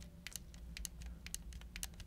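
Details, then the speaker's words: Pulsar Xlite V2 wireless gaming mouse gripped very tightly: faint crisp crackles and snaps in uneven bursts as the plastic shell flexes. Mild creak; otherwise solid build. "a little bit of creaking if you can hear that there it's mild but again you got to grip it pretty tight when i get a high heated moment in destiny i'm gripping the heck out of my mouse here"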